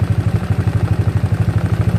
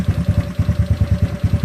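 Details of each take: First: GY6 scooter engine, idle set near 1000–1500 rpm with mixture screw about one turn out: steady even low chuffing at fast idle with regular beat, no knocks or rattles; idling normally. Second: GY6 scooter engine with battery reading about 13.2 volts and the rpm adjustment not taking effect. Lumpy, uneven chugging idle at about eight beats a second, with missed and weak pulses and revs sagging as if about to stall.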